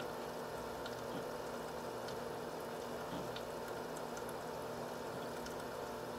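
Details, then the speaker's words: H220 liquid CPU cooler pump at steady 2947 rpm per SpeedFan, maxed out, no case or radiator fans, side panel off, warm coolant; even steady whir with faint water trickle, constant pitch: normal pump running at full speed. "on the pump speed right now it's running at a steady 2947 rpm it's pretty much maxed out right now"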